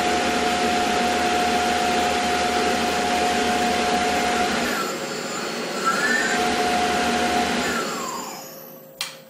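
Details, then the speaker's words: Tormach PCNC1100 mill after spindle replacement with new bearings, panel on: smooth fan-like whoosh from the motor fan, slight hum, clean spin-down, no bearing noise. "I can actually hear the fan from the motor on top like I can hear that specifically over the bearing noise and all that stuff there's no bearing noise bit of hum that's awesome"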